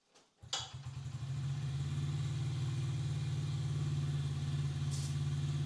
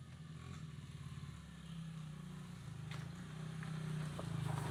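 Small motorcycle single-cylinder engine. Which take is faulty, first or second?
first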